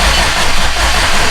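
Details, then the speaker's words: Subaru STI with a freshly installed turbo engine, cranked without firing to prime oil before first start. Oil pressure is showing but a warning light is still on. A steady starter churn that gradually picks up speed: normal priming crank. "Now I mean it has oil pressure. But we still have a light on down there in the center. So I'm gonna keep cranking it."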